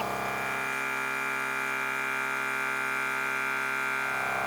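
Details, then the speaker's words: Milwaukee M18 cordless air compressor on wall power via adapter building pressure: steady even buzzing whir, no knocks; draw climbs from about 310 W to about 380 W at 70 PSI and 400 W at 80 PSI as the motor works harder; normal. "The wattage right there continues to climb as the pressure builds and that motor's having to work"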